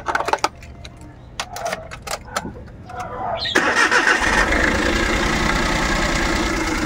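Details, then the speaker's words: Suzuki Every Wagon small petrol engine cranks, starts and settles into a slightly rough, shaking idle with steady rpm; misfire suspected, traced by pulling plug leads one at a time to the third cylinder. "Yan oh. Palyado yung makina anan. Palyado siya. Nagvibrate 'yung kanyang makina. Pero 'yung RPM niya consistent naman."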